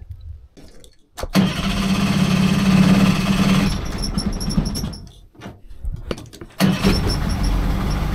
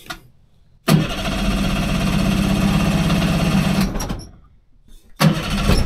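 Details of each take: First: 30 hp two-stroke outboard, barn-stored for years, after replacing an internally shorted spark plug: catches after a brief crank and settles into a steady, even, quiet low idle with no misfire; running well. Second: 30 hp outboard on a 14 ft alloy boat, sat in a barn for years, both cylinders getting fuel: catches and runs about three seconds with an uneven, lumpy beat, then dies; one plug shorting out with no visible spark, fixed by a new plug.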